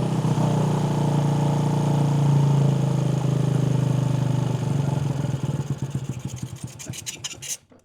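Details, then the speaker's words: Axe-damaged mini bike, jump-started with choke on and throttle wide open, runs loud and lumpy, then sputters in uneven chuffs about three or four a second and dies; carburetor way out of adjustment. "Other than all of it's out of adjustment here. Let's see. Oh yeah, that's way out of adjustment."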